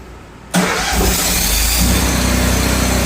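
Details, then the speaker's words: Miller Bobcat 260 generator after cleaning rusted carburetor (rusty screw and solenoid plunger) following weeks of sitting: engine catches and runs evenly with no misses or knocks; normal running. "Okay, now that I got it running, disconnect the fuel line and then run it till it's completely dry."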